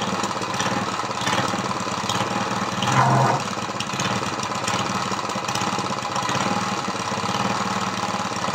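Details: Briggs vertical lawnmower engine converted to horizontal with an oil splasher; valves lapped, giving only 60 psi compression. First run: a lumpy, uneven single-cylinder idle with stumbles, and the carburetor is leaking. Running rough on low compression.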